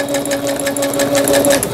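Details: Singer Stylist 7258 sewing machine after repair of an E4 stop-mid-sewing error, a misaligned lower-shaft gear, a sensor fault and a slipped timing belt; no error appears now. Fast, even needle ticking at about eight stitches a second over a steady motor hum, with no stall. Normal stitching.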